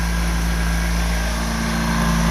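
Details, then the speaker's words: Ex-naval Chinese Suzuki-clone micro van, carbureted, warming up with a little smoke, owner may adjust fuel mixture: smooth steady low idle with even beat, no stumbles or knocks; normal idle. "Let's listen to this thing. Yeah, yeehaw, she runs. That's awesome."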